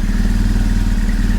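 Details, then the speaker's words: Used engine fitted to high-mileage BMW R1150GS boxer twin: deep, even low thump at steady idle, no knocks or misses, idling smoothly. "listen there's nothing wrong with the engine the engine sounds"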